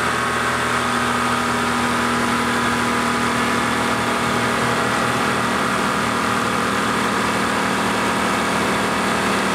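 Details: 1995 Lincoln Town Car after fan belt tensioner replacement; steady, even idle with smooth constant drone, no squeal, chirp or ticking from the belt: normal idle.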